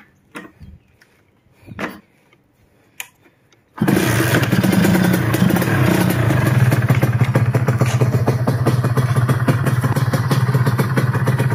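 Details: A Kawasaki RR150 two-stroke, two months on and still being run in, fired with the fuel tap opened: a few handling knocks, then it starts straight up into a steady, even idle with no knocks or misses.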